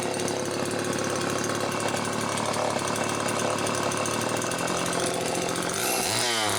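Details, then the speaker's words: Late-model Homelite Super 2 chainsaw, circa 1992-93, after servicing the carburetor-mounted oil pump, running on a tripod with the muffler near the mic: steady crisp high-revving buzz, no stumbles or surging; oil pumping as it should. Normal running. "there see all that oil it's finally pumping the way it should so that's good"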